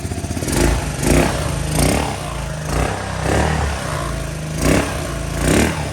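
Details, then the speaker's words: Honda Helix scooter after fresh gas, a new pre-filled fuel line and fuel put in the carb, first start: low, steady single-cylinder putter with mild rhythmic surges that keeps running on its own; normal idle. "It's running. Nice."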